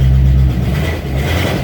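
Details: Rusty V8 Mustang after coolant leak repair, oil change and dash rewiring: after a few pedal pumps catches and revs strongly, then settles to an even steady low rumble; healthy, oil pressure coming up.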